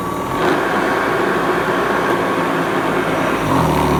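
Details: Hoover Commercial C1310 vacuum after a third, slightly smaller, tighter belt was fitted; steady high motor whine, no slipping squeal or flapping, pitch shifting near the end as load changes during a rice and sawdust agitation test; normal running.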